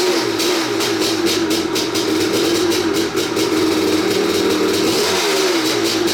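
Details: 1986 Maico 500 two-stroke dirt bike after 2.5 years sitting, fresh non-ethanol 92, no carb clean: crisp steady fast idle with brief blip near end; runs clean and even.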